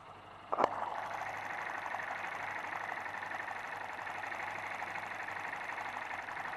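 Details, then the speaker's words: Motorcycle engine running in perfect condition, shown as a no-fault reference: after a sharp tap, a steady fast ticking chatter over an even run, just ordinary valve and internal noise, normal even on a new bike. "eu vou funcionar logo o motor primeiro aqui para você ver que ele está em perfeito funcionamento esse motor não tem barulho nenhum não tem barulho"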